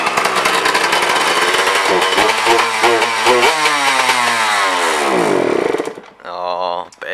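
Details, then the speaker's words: Nissan S13 owners running a two-stroke bike; they plan to lean it out and regap new plugs: high buzzy revs wander, falter, then die; engine stalling, cause unclear. "Wow, it was going so well. Fuck. I reckon we lean it right out."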